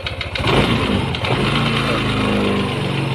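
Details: Yamaha NMAX 155 scooter engine starts and settles to idle with a dull knock under the exhaust near the CVT, clearest at idle; a worn, rough camshaft bearing.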